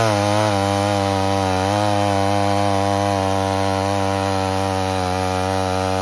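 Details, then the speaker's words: 1978 Homelite XL12 chainsaw that had sat for years, cutting firewood with a strong, steady two-stroke howl that holds its pitch under load; clean, even cutting with no bogging. "So, we're going to fire up the saw here and we're going to make it cut. See how it does."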